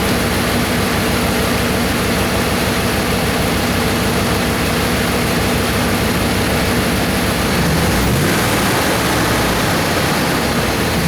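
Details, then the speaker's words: Dodge Hemi V8 after serpentine belt and tensioner replacement, AC compressor kicking on: loud steady rumble and fan rush, no squeal or chirp even as load changes near eight seconds; normal belt drive. "all right just saw the AC compressor kick on so no Wheeling belts holding"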